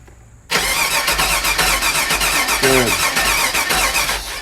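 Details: 2001 Chevy Suburban starter spins steadily several seconds but engine never catches; fuel pump harness shows about 12 V on prime, 9 V cranking, ground being tested; bad fuel pump.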